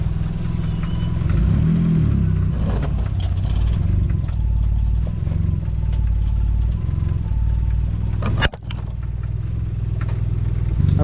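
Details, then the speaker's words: Mazda Miata after replacing the misfiring coil pack (cylinders 1 and 4), cold start with no idle air control valve. Steady even idle with no skips while warming up. Normal warm-up idle. "all right so we're all good now it's just gonna run like that because um i don't have a idle air control valve so until it warms up it'll start running a little bit smooth"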